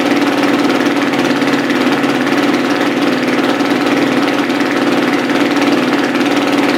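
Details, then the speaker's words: Carbureted four-stroke single-cylinder dirt bike, just after cold start with no oil pressure yet: the idle rises on its own and smooths out into an even thump with no knocks. Normal idle. "you'll hear the idle come up high starting to come up getting this oil pressure things are starting to be a little bit smoother"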